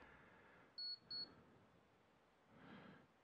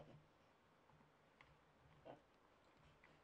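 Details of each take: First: Power supply tester on a 1000-watt PC power supply reading about 12 V and 5 V rails: two short high-pitched beeps close together, then quiet; the tester signalling a good supply. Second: Power supply tester connected to a 1000 W power supply gives short high electronic beeps repeating every second or so, warning that a four-pin or six-pin power connector isn't plugged in.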